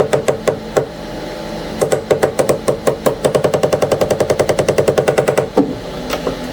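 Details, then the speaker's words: Anycubic ACE Pro filament unit, first slot, trying to retract: rapid ratcheting clicks, about three a second in bursts, as a jammed gear grinds and cannot rotate. The owner suspects misalignment or over-tightening, not confirmed. "Yeah, look at that, it's grinding there. That thing cannot move. This gear cannot rotate."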